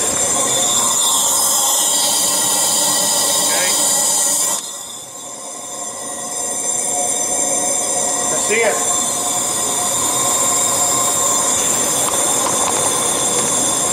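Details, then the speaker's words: VW Passat engine: steady airy hiss of air escaping past an intake valve, heard at the intake with the throttle butterfly closed. Valves likely bent after the timing belt broke or the cam gear was hammered on wrong and the engine kept cranking. "they've put this thing together wrong and couldn't get it started and just kept cranking it beating the out of the valves same thing I'll even let you hear"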